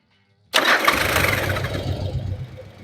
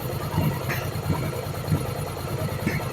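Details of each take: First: Yamaha Virago 1100 V-twin after valve adjustment and carburettor synchronisation: quick catch on the starter, then a steady low rumbling idle settling smoothly with no misses; engine sounds fine. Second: Yamaha Virago 1100 V-twin during valve adjustment and carburettor synchronisation: lumpy idle broken by small irregular pops and spits from the open intake with the air filter removed.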